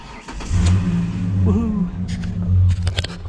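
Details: Ford Ranger V6 after no-start fix, no leaks: brief crank catches quickly into a smooth low rumble with a light blip; starts and runs cleanly.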